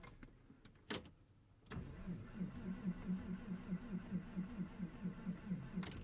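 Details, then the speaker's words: 1999 Porsche 911 Carrera 4 (996) at Tail of the Dragon: starter cranks at a steady rhythm of roughly two turns per second for several seconds without catching, worse than usual; engine reluctant to fire, later backfires. "usually gives us more than that yeah uh oh we're gonna find out in a second if we have 996 problems that's worse than usual"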